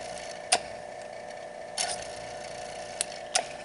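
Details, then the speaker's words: Electric boiler circulating pump after motor replacement with a new coupler and oiled motors; quiet, even hum with only a few light ticks, running smooth with no rattle or knock. "Alrighty, here it goes. Ah, nice and quiet."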